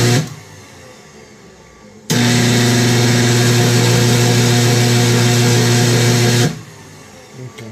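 Mixer motor starts up to a loud steady hum with a harsh gritty grind laid over it; gear grinding, cause not yet found.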